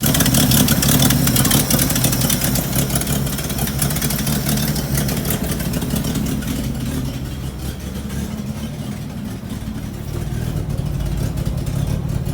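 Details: 1975 Bedford CJ petrol engine, loud, with a sharp puffing tick on each firing at idle and under revs. Finding: a nasty exhaust leak.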